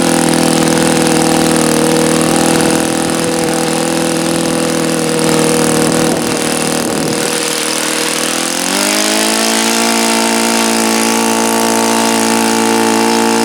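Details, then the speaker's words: Saito FA-82a glow model engine, extremely low time, on its first runs. A high, steady scream near full throttle wavers and sags, then the pitch climbs and settles. It won't hold stable at near-peak rpm, so a break-in run with alternating rich and lean mixture followed. "As I started off in the beginning of the run, I was trying to peak it out and I could hear that it wasn't wanting to be stable and happy at near peak RPM."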